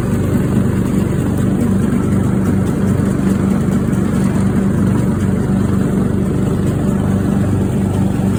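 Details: Craftsman riding mower engine that fired but would not run, after a new fuel shutoff solenoid, fuel filter, spark plug and fuel treatment (owner suspected water in the fuel): small single holds a steady, even putter, no surging, misses or hunting; healthy.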